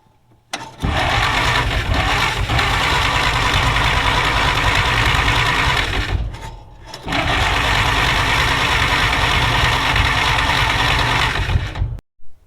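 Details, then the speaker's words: 1940s Dodge army truck sitting over 30 years, starter commutator cleaned, new plug wires fitted: long even starter churn at about three turns a second, pause, more cranking; cranks but won't start. "Sputtered. Well, that's some excitement right there. I gave a sputter."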